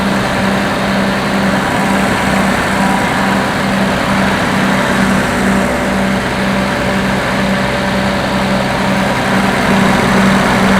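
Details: Combine 525 diesel after water pump replacement, radiator cap left loose on first cycle to purge air, warm after working: loud steady low idle, even pulse about two beats a second, no knocks or surging; runs healthy.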